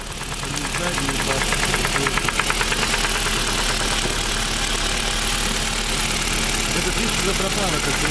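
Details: Engine knocking like a spun connecting rod: hard, sharp metallic knock about three per second over idle; engine then disassembled to find the cause.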